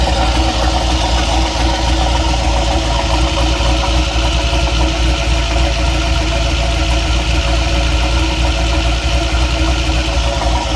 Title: What's that knocking noise?